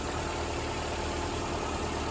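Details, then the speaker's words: Car with a dead battery, just jump-started with a cheap homemade setup and nearly died out before catching; now a smooth, even idle with a steady hum, no stumbles or knocking, while the battery recharges. "It was like this close to die out, but it started up. That's what's good."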